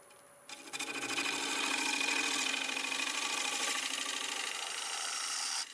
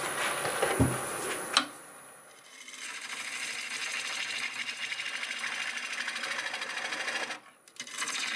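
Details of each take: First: Dry, hard Boxelder bowl blank (about 8-inch circle, 3 3/4 in thick) cut with a 1/2 inch bowl gouge on the lathe. Even hissing scrape at steady speed, no catch or thump; the earlier noise disappeared. Normal cutting. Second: Lathe at about 760 RPM turning a dry, hard 8 by 3 3/4 inch boxelder bowl blank with a freshly sharpened gouge. Harsh, rattly hiss with uneven chatter as the gouge bites; a sizeable crack in the blank, sounding like it might blow up.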